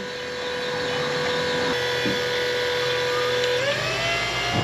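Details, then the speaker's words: Electric hydraulic pump for a dumpster-truck lift built from forklift parts, powered by two new truck batteries, switched on; even steady mid-pitched whine climbing smoothly under load; normal hydraulic pump running. "when I turn the switch it should start the pump hear [Music] it"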